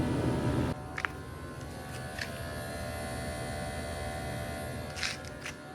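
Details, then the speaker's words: MG S9 Hybrid at about 3,000 km, heard in the cabin: steady droning hum with fixed whining tones over quiet cabin noise; owner unsure of the source, suspects cooling. "Makes a weird noise. You hear that? I don't know what the hell that is. Might be cooling."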